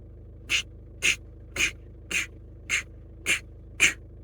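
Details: 2011 Skoda Roomster 1.6 TDI, lack of power, DPF faults, EGR had been unplugged due to noise: sharp high chirp about twice a second over quiet diesel idle; squeak, source unconfirmed, possibly EGR-related.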